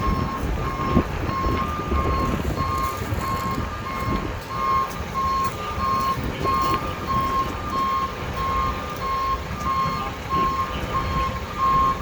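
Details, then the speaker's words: Loaded stone dump truck backing up on soft ground at a watermain excavation site while the loader operator signals it; steady evenly spaced beeps near one kilohertz, about ninety a minute, over diesel rumble; reversing alarm working normally. "And there's a dump truck backing up. He's got more stone. The loader operator is signaling the dump truck to bring that stone back."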